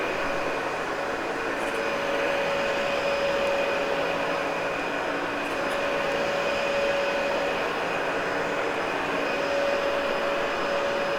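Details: Cleaned, practically brand-new Dyson UP13 upright vacuum: steady rushing airflow with an even motor whine, no rattle or surging; normal running.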